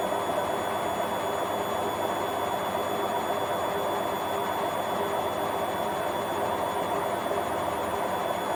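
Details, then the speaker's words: Hotpoint Aquarius Extra WMA40 washing machine at full spin with a heavy, unbalanced load: a high whirring roar with a gritty rumble underneath from worn drum bearings. It still handles the spin. "you can definitely hear the bearings but it's handling it okay"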